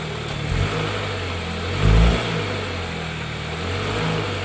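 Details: 2013 Dodge Dart after replacing the worn, sagging passenger-side motor mount with a cheap aftermarket one: a smooth, steady idle with a short blip of revs and no clunk or shudder. The engine now sits well on its mounts.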